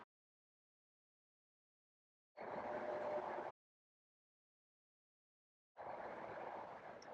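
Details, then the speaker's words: Lexus TX (2024–2026) third-row power seat folding. Two brief, smooth whirring motor runs of about a second each with small clicks as the seat moves into place, no grinding or straining: normal power-fold operation. "it is normal to hear those clicks as the seat moves into place"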